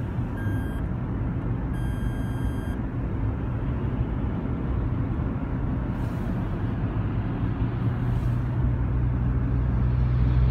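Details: Toyota Sienna corner parking sensor beeping abnormally, recorded 2016-11-27: two high, clear beeps, the second longer, over a low vehicle rumble, then stop.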